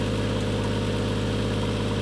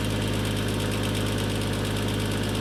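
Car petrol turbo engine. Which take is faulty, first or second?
first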